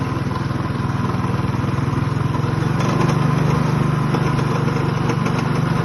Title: rattling noise on customer minibike#pbk customz